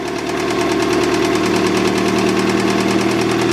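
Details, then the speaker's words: Acura Integra B18B with an eBay turbo kit, new injectors, slightly rich: loud, heavy knocking, about three blows a second, louder with RPM and gone on deceleration; rod knock, engine needs replacing. "the freaking thing is noisy I think hammering and it gets louder with RPM you guys hear that the RPM came down there try this one more time just really slowly I don't want to [ __ ] kick a rod out of the block oh yeah and then as it decelerates the knock goes away that's how you know it's a rod knock"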